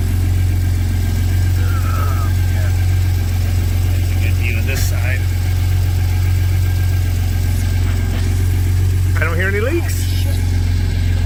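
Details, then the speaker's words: Ford F-150 3.5 V6 twin-turbo EcoBoost, tuned, just fitted SPD high-flow turbo exhaust adapters and 3-inch downpipes: steady, smooth low rumble, no ticking or puffing at joints; sounds tight and sealed, normal idle. "Everything sounds good and tight, man. No ticking."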